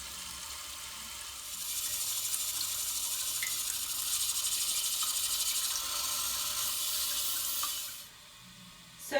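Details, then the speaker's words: 1994 toilet with worn, outdated fill valve: steady hissing rush of water into the tank that keeps running instead of shutting off, noisy and overfilling; fixed by installing a fill valve replacement kit. "to fix the very noisy toilet that is also leaking water i have here a fill valve replacement kit for the toilet"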